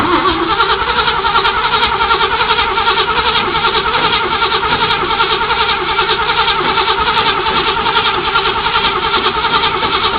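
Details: 1978 Chevrolet Camaro, factory stock: long steady rhythmic cranking about two and a half beats a second without catching cleanly, lots of smoke; very hard start, prolonged cranking.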